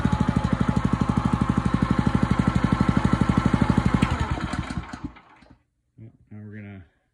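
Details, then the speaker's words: Honda GX160 on a Splitfire wood splitter, earlier bogging under splitting load, after carb clean, jet check and oil change, warming up: steady, even firing beats, no bogging or hunting, then clean wind-down and stop; normal running. "Heat up here. Sounds like it's fine."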